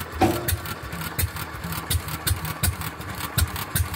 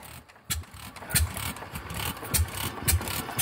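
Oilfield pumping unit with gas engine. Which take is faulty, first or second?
first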